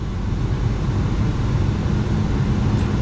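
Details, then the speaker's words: Mercury Mountaineer V6 at 178,000-odd miles, started right after oil change with unfilled filter: low even idle rumble with no ticks or knocks; oil pressure comes up fine. "here we go and there we got oil pressure very good"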